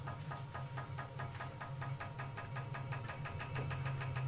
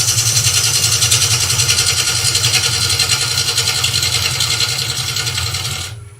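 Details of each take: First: Wood lathe turning a rough vase blank, started at slowest speed and advanced to about 400 rpm: low hum throbbing about three times a second with the spindle; vibration from unbalanced blank, so speed knocked back to about 300 rpm. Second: Wood lathe, bowl gouge cutting waste wood from a tall vase blank: steady hissing cut with even rapid pulse, no chatter or catches; clean cut after earlier wrong-sounding cut from a gouge that was fat-covered rather than blunt.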